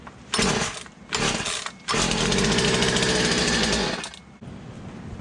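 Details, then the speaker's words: Poulan 2150 chainsaw with a new cylinder and piston, running a cleaned OEM carburetor: short, ragged revving bursts that stumble and drop off; owner suspects the carburetor and plans to swap in a new one. "cleaning up the OEM and putting it back on so that could be our issue right now"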